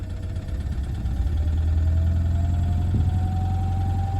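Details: Toyota D4D diesel, about 374,000 km, steaming from the coolant cap: when revved, the rough lumpy note climbs only slightly and slowly; cracked piston, engine being replaced.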